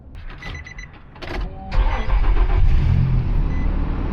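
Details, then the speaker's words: Car with a dead battery jump-started from a jump pack: brief cranking bursts, then the engine catches and settles into a steady, even run; a clean start before replacing the battery. "Good. Car is running."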